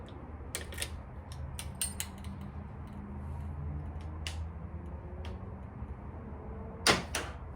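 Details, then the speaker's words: 2007 Triumph Thruxton 900, sat unused over 6 years: sharp irregular clicks over a quiet hum on each start attempt, engine never turns over; owner suspects starter solenoid or electrical switches, not confirmed. "you go, you hear the click noise. Now, everything that I read on it about the clicking noise was leading me to believe that it's the starter solenoid or a bunch of these electrical switches."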